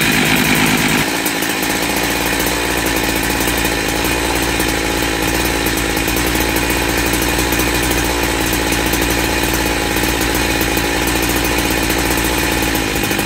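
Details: Cheap second-hand big bore 52mm 372XP chainsaw kit with a 272XP pop-up piston and thicker base gasket, first run after reassembly. A loud, steady full-throttle two-stroke buzz holds without bogging, running better than with the old piston. Normal running.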